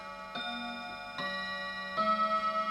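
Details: Old clock striking the hour, after cleaning the clutch: clear bell strikes about every 0.8 seconds, each ringing out cleanly, a normal hour strike with the strike train working properly.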